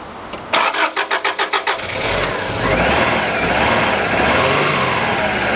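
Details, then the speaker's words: Subaru RS Liberty AWD turbo manual, parked 10 years. About eight quick cranking beats, then it catches and revs rough, running only on fuel poured into the throttle body. Owner suspects stuck injectors. "well there you go she runs but yeah yeah so that tells me that I may have to pull the injectors out and clean the injectors I think the injectors are stuck"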